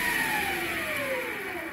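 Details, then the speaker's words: MX 8x14 mini-lathe running unloaded with no gears engaged after motor mount slotted and belt tension reduced: thin high whine falling as spindle slows; owner suspects the three-phase PWM motor controller. "but the high-pitched wine you can hear is i think the pwm controller the three-phase controller for the motor"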